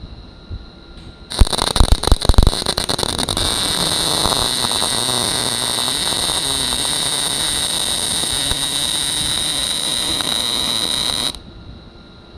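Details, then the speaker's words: First-time welder doing a MIG weld on a school project piece: about ten seconds of even, steady buzz after a crackly start, the sound of a good stable arc at correct travel speed after slowing down. "And you heard that nice, even zzz. That's what you want to hear."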